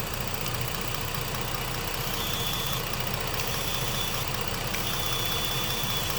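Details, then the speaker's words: 2014 Ford Explorer Limited 3.5L V6, intermittent check engine light (P2196, P2198): idling with unpowered purge valve's hose removed, steady vacuum hiss at open port; leaking EVAP purge valve. "Maybe I won't hook her on. Bingo. Leaking purge valve."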